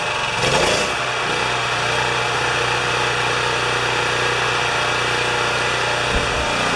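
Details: Champion 3000-watt portable generator that came in as a no-start, after test pull with choke partly opened: smooth steady hum, even note, no misses or surging; running normally.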